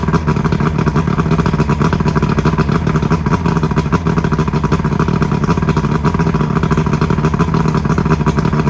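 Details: Johnson V4 outboard (1995 or 1996) running again after new power pack fixed no-spark; steady fast two-stroke burble, even speed, no misses, all cylinders firing; smoking a lot, possibly from not being run in a while.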